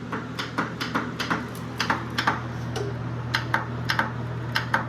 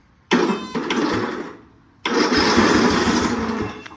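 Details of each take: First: Riding lawnmower, borrowed battery fitted after original read one volt, no fuel line or gas: sharp solenoid clicks in quick pairs, about two a second, with no cranking spin; solenoid heard but starter not turning. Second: Non-running lawn mower whose starter, jumped directly with alligator clips, cranks the engine over evenly with no grinding; the starter works, and the key-start failure was later traced to a missing ground.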